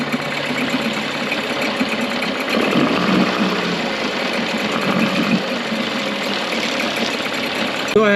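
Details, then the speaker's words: Rebuilt Mercury outboard in a test tank after a carb rebuild, water pump and tune-up, idle screw set one and a half turns out from seated: a steady, even buzzing idle with no misses or knocks. It is running healthy. "the motor sounds pretty good um if this was like a 99 or 15 probably I'd probably do a little bit more adjustments"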